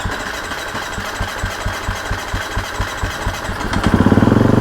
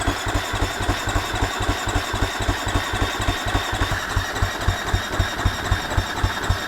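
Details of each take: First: Husqvarna FC250 after fuel pump replacement and battery charging: slow, regular cranking pulses, then the single catches and runs with a quick, even beat. Normal start. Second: Husqvarna FC250 that quit after a ride, fuel pump plugged back in: steady starter cranking about four beats a second for eleven seconds, no firing; about 10 V measured at pump instead of 12, fuel pump later confirmed bad and replaced.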